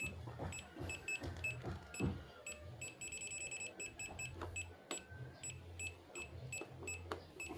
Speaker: Oke, jadi fitur FCV-nya normal ya.